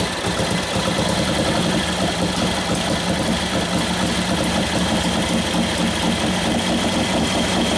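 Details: 1941 Harley WLD 45 flathead, freshly built 56ci stroker with hotter cams, main jet being tuned for mixture: even, lumpy V-twin beat with clean cam clatter, revving up nicely, no knocks. Normal running.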